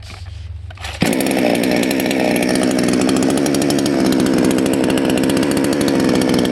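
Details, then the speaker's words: Salem Master chainsaw, high-speed jet turned way too far counterclockwise: snaps to full throttle but burbles unevenly instead of screaming cleanly, with smoke; high-speed mixture set too rich. "listen for this smoke is bad okay so we went way too far counterclockwise we got smoke"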